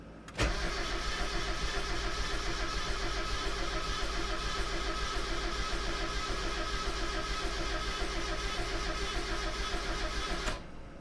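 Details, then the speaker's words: Project drift car being troubleshot for no start: the starter churns steadily for about ten seconds but the engine never fires; no tach signal and no injector spray, with a relay that also feeds the fans suspected bad. "I don't think we got any uh fuel spray. Yeah, can't really tell. Gonna have to go check. Well, as you can see, nothing fired off in our tray."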